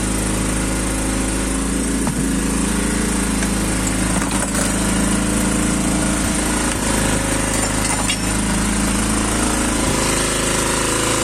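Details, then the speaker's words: 250 cc single-cylinder quad, engine fully cold just after starting: a steady, even drone with no knocks, running well but idling a bit high in the revs. "Donc là, il est tout froid. Donc il tourne plutôt bien, c'est juste qu'il est un peu haut dans les tours, mais"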